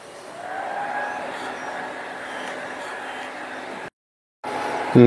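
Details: Acer Aspire 1700 laptop from 2003, 22 years old, after cleaning and thermal paste replacement, in BIOS: steady rushing hiss like a stream with a faint high whine; fans run at full speed because ACPI fan and temperature control doesn't work in BIOS.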